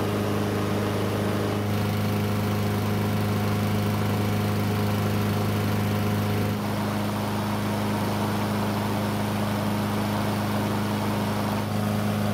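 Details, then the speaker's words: Free curbside Blackmax mower that would not start, now running after a bad spark plug was swapped for a used factory plug: steady, even drone with constant pitch and no misses or stumbles, running cleanly. "well if I think that pretty much confirms my worst fear this engine only needed a spark plug to run"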